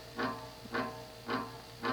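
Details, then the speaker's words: 1987 View Fan 36-inch 3-speed industrial ceiling fan, bought new-in-box: low hum swelling into a cyclic magnetic flux buzz about twice a second, rotor misaligned in stator; fix is opening motor to reset rotor, possibly replacing bearings. "the cyclic fuzz you hear here is a magnetic flux buzz it's basically the end result it's what happens when the rotor becomes misaligned with the stator it's not dead on center so if something is slightly off it's out of flux you hear that buzz"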